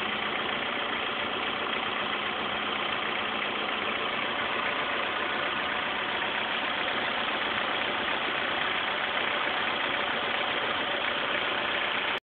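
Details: 2006 S2000, rattle for a week: a fast, uneven metallic engine rattle over a steady idle. The owner suspects the timing chain auto tensioner (TCT), unconfirmed.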